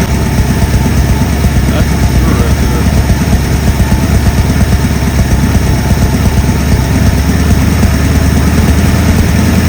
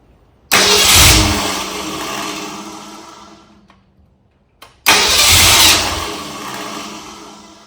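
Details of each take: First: 1964 Ford Galaxie V8 on a run stand, carburetor refitted and fuel primed, oil pressure now working: loud, steady low burble at even idle with no knocks or misses; sounds healthy. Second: 1964 Ford Galaxie engine on a run stand during wiring/ignition troubleshooting: fires, runs roughly, fades and dies within seconds, restarts and fades again; stalling, cause unknown.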